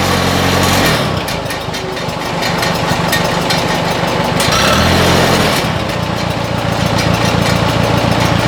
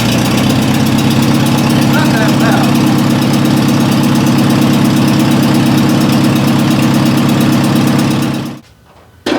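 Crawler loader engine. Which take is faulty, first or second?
second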